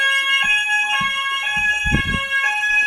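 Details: Old preschool fire alarm sounder that had no sound, after a quick fix, one of two repaired: a loud, steady electronic alarm tone with a high warbling pitch holds throughout. The sounder is working normally.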